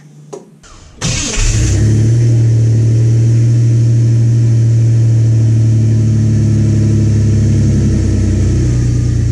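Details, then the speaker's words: V6 ("should've had a V8") just after custom valve covers with modified rocker adapters were bolted on: cranks, catches and settles into a smooth, even idle with no valve or rocker chatter; only a slight exhaust-leak tick noted. "nope everything sounds really good"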